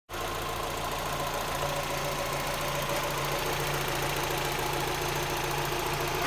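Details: Mazda MX-5 Miata / Eunos Roadster B6 engine running with a light, fairly quick tick, roughly three or four per second, over the steady engine note; top-end ticking, cause unclear.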